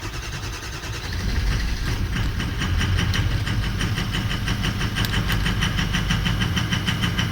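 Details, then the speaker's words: 2004 Ford 6.0L Powerstroke diesel pickup, rough running: cranks and catches into an uneven, lumpy idle with ragged clatter; FICM voltage drops to about 40–42 V (should stay above 45) while ICP pressure is correct at 1280, so the FICM voltage is low. "we're right in that exact pressure so we're not dealing with the low oil pressure but we are dealing with the low voltage on for the ficum"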